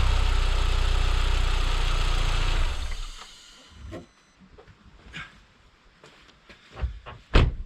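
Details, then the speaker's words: Completely cold engine on cold start, confirmed by thermal camera, with turbo and manifold cold; loud low rumble with fast rattly ticking near four per second, then shutdown; the engine rattled, disproving the theory being tested, source unclear. "Okay, it rattled, so the theory was unfortunately disproved."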